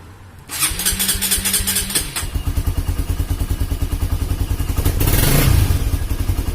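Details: Honda CB150R after an engine rebuild for a leaking head compression that made radiator coolant spray out, first start after reassembly. The single fires up cleanly, settles into an even quick idle and takes a smooth blip of revs without misfires; the engine now sounds smooth.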